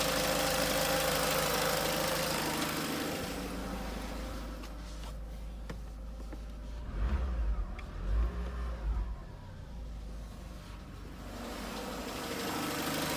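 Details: Peugeot 307 1.6 16V 110 engine idling, then blipped and settling back: uneven mechanical noise riding over it; source unclear, needs further checking.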